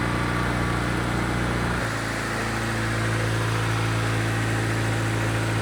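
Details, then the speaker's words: EG Honda Civic, turbo K20 bottom with RDX K23 top end, new manifold blocking water passages to stop heat soak; catches quickly, steady even idle, no knocks, ticks or whine over smooth exhaust, healthy. "Sounds normal. Yeah, sounds good. All right, so everything's working great."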